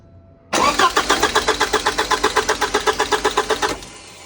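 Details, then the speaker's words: 1985 Porsche 944 cranking for the first time after front engine seal rebuild, fuel system still disconnected: starter spins the engine with an even chug about four compressions a second but it never fires. "All right, guys. So obviously she's cranking over now."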